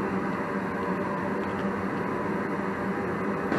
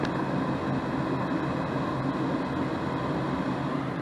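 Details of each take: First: 80% single-stage Goodman natural-gas furnace on a heat call: gas valve opens, burners light and prove flame with an even rush, then the blower kicks in once the heat exchanger warms; normal full heating sequence after the bad thermostat wire fault was found. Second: 80% single-stage Goodman natural-gas furnace with a planted fault: power restored and the inducer motor clicks on and hums steadily though the thermostat is off, heat not turning off, traced to a bad, shorted thermostat wire.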